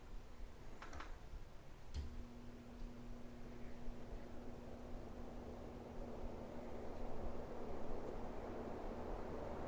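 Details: Newly installed Home Decorators Merwry 52 in ceiling fan switched to high after low and medium: soft steady airflow hiss with faint constant motor hum after switch click, no wobble or ticking; fan runs fine.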